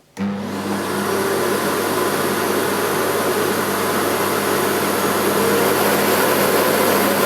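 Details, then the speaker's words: Brand-new Sebo D2 Total cylinder vacuum with new turbo fan motor, switched from low to full speed; spins up quickly to a steady, even rushing roar with constant hum underneath; normal powerful motor at full speed. "so it's extremely powerful it has a new turbo fan motor that sibo developed for this cleaner to increase the airflow as well"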